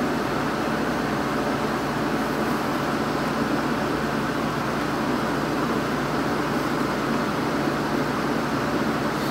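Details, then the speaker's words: 1986 Kenmore window air conditioner on high cool after a capacitor replacement and an R22 top-up, compressor fine; even fan rush with a low compressor hum, no knocks or rattles, ice cold output; normal running. "the compressor's fine i had to replace the capacitor in here and i also had to add some r22 to it and this thing's already ice cold"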